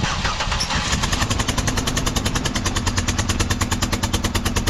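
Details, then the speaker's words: 2005 Buick LeSabre at idle: loud sharp popping about three times a second over a rough idle. A spark plug is broken off in the cylinder head, and the head must come off. "All right. All that noise is a spark plug busted off in the head. So, what I'm going to have to do is I'm going to have to take that cylinder head off."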